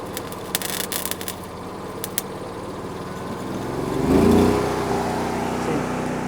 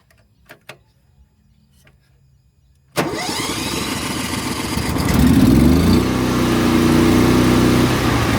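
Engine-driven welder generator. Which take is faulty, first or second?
first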